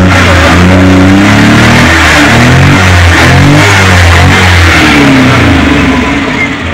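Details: Suzuki Multicab F6A engine that would not start, now running after carburetor overhaul, cleaning and float valve adjustment: picks up cleanly through several smooth revs and settles back, no misfire or stumble; running healthy.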